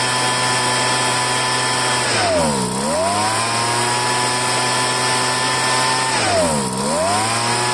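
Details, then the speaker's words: Poulan handheld two-stroke leaf blower after fuel line replacement: high buzz sags deeply twice then recovers as the choke is toggled on and off to loosen dirt in the carburetor. "once I had it running I kept on choking it choke off choke on choke choke on sometimes that loosens up all the crap in the in the carburetor"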